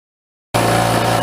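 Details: Fortress Harbor Freight 1-gallon oilless air compressor after refurbishing, repaired because it tripped the circuit breaker while pumping to 135 psi; silence, then a loud steady drone with even pumping hum, no knocks or rattles; normal running.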